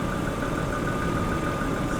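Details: Daimler XJ40 that broke down on the highway: a steady, even idle rumble with a faint constant hum while the crank sensor cable is wiggled. No stumble or misfire.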